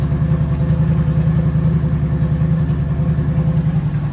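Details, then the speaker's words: Harley-Davidson V-twin ("the Hulk") after fixing a faulty wire that stopped components communicating: smooth, even idle lope with no stumbling or missed beats; running cleanly. "that wire was causing everything not to communicate properly so it's all good now"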